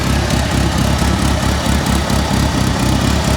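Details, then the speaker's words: 1985 Merkur XR4Ti turbo four at warm idle, turbo hot: rough uneven low puffing under idle note about two pulses a second; exhaust leak suspected, location not found. "we will see if I can find that exhaust leak too or down there it does have a bit of an exhaust"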